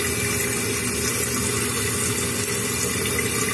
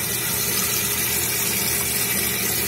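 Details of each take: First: Running toilet repair: constant rushing of water refilling the tank with no gurgle after the flush valve flapper was seated to seal; tank refilling normally, chain slightly tight. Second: Toilet tank with water running into bowl non-stop: constant rushing hiss that never tapers off because the flush valve flapper isn't sealing; running toilet, flapper not sealing.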